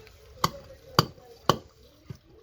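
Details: Renault Kangoo, customer reports a clunk: three sharp knocks about half a second apart, then a softer one, as the body moves; suspension clunk, mechanic says shock absorbers should also be replaced.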